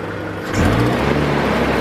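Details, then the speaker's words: 2002 Kia Optima that stalled when put in gear, with code P0102 (MAF circuit low), after replacing vacuum lines: steady, even idle with a constant low hum, no hunting or stumbling; normal idle, MAF not replaced. "the hardest a one that a nice smooth idle change those vacuum lines"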